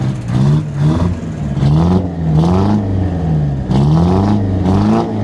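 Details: Detroit 8V-71 two-stroke V8 diesel in a 1969 International 400 dump truck, after the injector rack was checked following a runaway and the valve covers refitted. Repeated revs rise and fall cleanly with no misses. Normal diesel revving.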